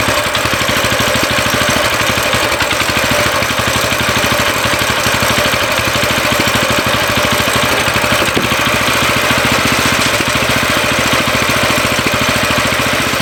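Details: Coleman CT200U mini bike just after a carburetor replacement, on choke with fuel and switch on: quick, even popping from the small single, holding a steady idle without stumbling or dying; runs normally.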